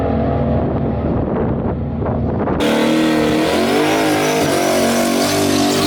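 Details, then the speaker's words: Under hard throttle the 1974 turbo Camaro's engine turns rough and choppy, stumbling instead of pulling cleanly; it breaks up under boost after a slow eighth-mile pass, and a blown header gasket is suspected. "It is breaking up, man. [Music] I heard it breaking up. Oh, she broke up bad. That was the worst breakup we've had."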